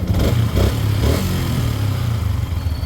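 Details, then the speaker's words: Yamaha Sniper 150/155 at 4,383 km odometer, idling after replacing the water pump seal, impeller and impeller bearing: soft, even low thump with no whistle; running normally again. "so mapapansin niyo wala na yung tunog niya na su normal na ulit yung kanyang tunog so natanggalan natin yung lumang bearing at impeller saka water pum seal"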